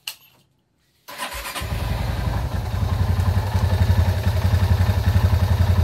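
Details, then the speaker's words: 2004 Honda Tiger 270cc single cylinder, stroke 70, owner complaint of noise: starts and settles into loud, coarse rapid thumping with a harsh mechanical rattle, consistent with worn crankshaft bearings. "keluhannya berisik kita dengarkan suara mesinnya"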